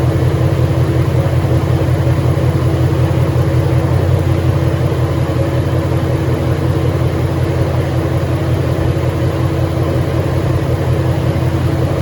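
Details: 2013 Ford Mustang GT 5.0 Coyote, manual, 81,500 miles, idling: loud deep regular knock about three per second under steady idle; owner suspects rod knock or crankshaft, new for 2-3 months, worse after driving, stalls after long drives.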